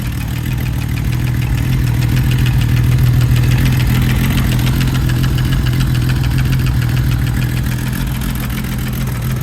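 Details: Freshly rebuilt Kawasaki KZ1300 motorcycle engine idling with a deep lumpy rumble and an odd repeating knock, about three or four a second; cause unknown.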